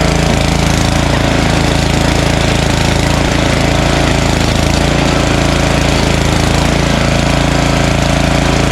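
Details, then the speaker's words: Snowblower small engine, primed and choked, flat out at high throttle with a fast steady beat of about 200 a minute while being run dry before storage; never falters, running normally. "so let's uh run this dry from the obviously remaining fuel that's in there okay we'll just uh prime what's ever in here choke high throttle give it a pull let it run completely dry until it stalls"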